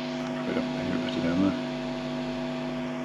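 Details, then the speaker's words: Pre-1983 Rega Planar turntable with S-shaped R200 arm, separate earth wire disconnected, volume high: constant low hum with higher-pitched buzz on top; ground loop hum from missing turntable earth. "This is connected up without the earth. So it's a sort of higher, slightly higher pitch."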